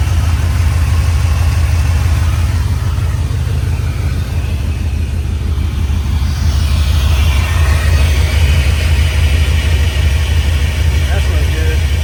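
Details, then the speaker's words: 1967 Chevy C10 LS-swapped, plugged injectors suspected, sensors recently replaced: heavy uneven loping idle about once a second; one bank's injectors left unplugged, so it runs on four of eight cylinders. "I started it up and it sounded little odd. I was worried. All these cylinders were firing. I went to that side. None of those were firing. I forgot to hook up any injectors."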